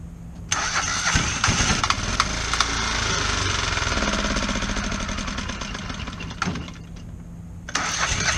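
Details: Kohler 725cc V-twin Pro Drive surface-drive mud motor with a thrown cylinder 1 connecting rod (2012) and its piston not moving, restarted using a makeshift filed non-steel key. An uneven, lumpy popping run with irregular firing and a rattly top end: it runs on one cylinder.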